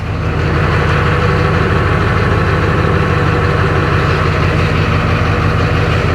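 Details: 2004 GMC 3500 Duramax diesel pickup, sitting in reverse while shifting through gears to circulate transmission fluid before a level check: steady, even low diesel idle, no knocks or slips; engine and transmission sound healthy.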